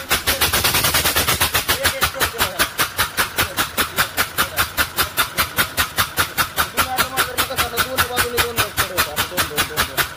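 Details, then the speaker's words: Ashok Leyland Hino diesel engine idling with a sharp, regular puffing chuff about 2.5 times a second; the number 1 injector nozzle has lifted, likely from a cracked fitting bracket, leaking compression air. "ह्या हिनो engine मध्ये हा आवाज कशाचा येतोय तर त्याचा हा एक नंबर जो नौजल आहे तो नौजल वरती निघालेला आहे आणि कॉम्प्रेशन स्ट्रोकच्या वेळेस कॉम्प्रेशन स्ट्रोकच्या वेळेस जी हवा येते ती बाहेर निघते"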